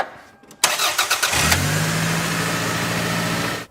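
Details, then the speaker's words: Car with serpentine belt deliberately loosened, after tensioning via adjusting bolts: engine cranks and catches into smooth, even idle with no squeal or chirp; belt drive quiet, squeal fixed by correct tension. "but now I'm just gonna apply some tension to this belt by this adjusting bolts and then start the car so you guys can see that it fixed our problem alright"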